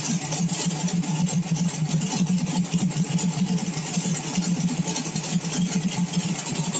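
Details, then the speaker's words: Small-block V8 on pump E85 through a CSU blow-through carb, no choke or extra cold-start fuel, cold start on a warm day, now warmed past 140: even idle around 850–900 rpm, smoother, soft steady pulse, no misses; normal idle. "idle not much different sitting around 850 almost 900 but smoother you can definitely feel it when you're sitting in it when it gets to that point"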